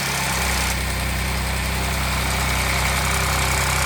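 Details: Audi 3.0 TFSI engine at idle: light, fairly even tapping about four times a second over the engine hum; abnormal engine noise, cause unclear.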